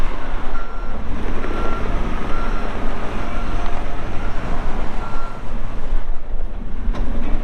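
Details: 2014 Kawasaki 65TMV D2 wheel loader, pre-emissions Isuzu diesel, 7,671 hours: diesel working under load with regular high backup beep over it; engine pulls steadily, beeper functioning normally.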